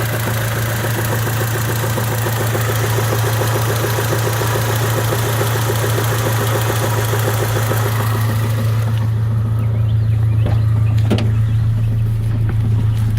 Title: Honda Civic 98 rattling noise